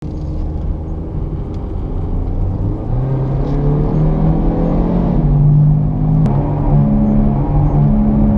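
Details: Driving with worn front wheel bearing: low steady drone that swells and deepens as speed builds, with rough hum underneath — wheel bearing growl.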